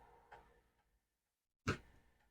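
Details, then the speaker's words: MSD SD-2 Super Disk Drive (IEEE drive for C64/C128), found uncovered with its fuse apparently bypassed, formatting a disk: quiet room with sharp head-stepping clicks about 1.4 s apart, normal, and formatting noticeably faster than a 4040. "and one of the other things is this works faster like I don't know if you can hear that clicking but that's the drive formatting that is way faster than a 4040."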